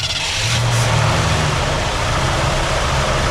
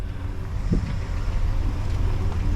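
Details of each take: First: 1967 Ford Galaxie 500 V8 with carburetor trouble, idle screws all the way down: uneven, lumpy, loping idle; the engine is sucking air past loose intake manifold bolts, a vacuum leak. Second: 1967 Ford Galaxie 500 V8, after carburetor and vacuum leak trouble: low, smooth, quiet even idle with no hiss or stumble, though a slight valve knock is noted on one side; normal idle.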